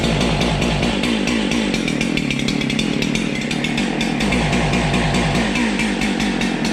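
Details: Husqvarna 371 XP chainsaw that backfires, stalls and won't rev: ragged, stumbling idle that never picks up revs, uneven popping throughout; cause a bad ignition coil module despite having spark.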